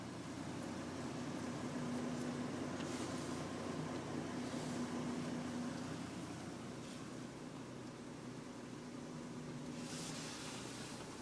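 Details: 2005 Chevrolet Trailblazer idling with an uneven, stumbling beat, about three to four dips a second, from a misfire in cylinder 3.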